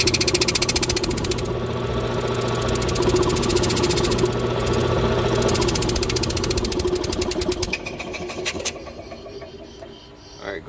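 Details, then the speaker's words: Oil-bath twin-cylinder air compressor, slow to build pressure for years, then tone changed and almost no air output: rapid even chugging about four beats a second, crank turning but barely compressing; compressor not building pressure, cause not yet confirmed. "as it turns listen to it you'll hear it really makes like it's not not making much of a compression at all yeah it's not doing much"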